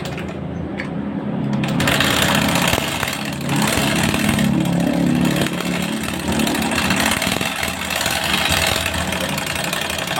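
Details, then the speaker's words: Honda Scoopy scooter with a rough, rattly top-end clatter at idle. The owner suspects the cylinder head area, a camshaft or rocker bearing, and plans an engine teardown. "Nah itulah sumber suarane yo Nah Kayaknya ada di area silinder head entah laker noken atau laker piano atau Karno"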